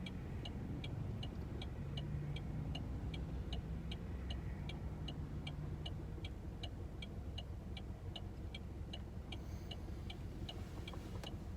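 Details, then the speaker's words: Saturn Ion idling while stopped in traffic; the owner also heard rattling at start-up. Faint, sharp ticking about three times a second over a steady idle rumble, and the owner is unsure whether it is a knock. "i can kind of hear my engine knocking a bit i don't know if it's knocking or what"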